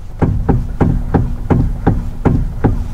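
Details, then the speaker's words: 2010 Hyundai i20 1.2 petrol, abandoned for years, idling stationary while steering is rocked side to side: dull clunks about every third of a second from worn steering rack breaking down internally. "a few of them where they've actually the steering rack internally sort of starts to break down you get a knocking noise they'll probably demonstrate that to you now guys"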